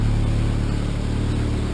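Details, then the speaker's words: Cheap Ford Ranger with a leaking exhaust system, at idle heard from the cab: a loud, deep, rough idle with a raspy puffing rumble like a diesel, from exhaust leaking everywhere; exhaust leak, exhaust to be replaced. "so let me start this baby up so you can hear it I'll just go in the cab she ruff the good thing about this truck he brake works my truck doesn't work very good so oh yeah this puppy is loud"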